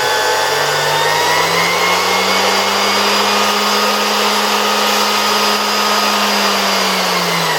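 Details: 1973 Zelmer 01A vacuum cleaner, type 34 suction motor removed from the housing and run on a regulator at much reduced voltage; rotor spins freely. Smooth, even hum rising slightly then settling, no rubbing or rattle; normal run. Owner will monitor a possibly warm capacitor.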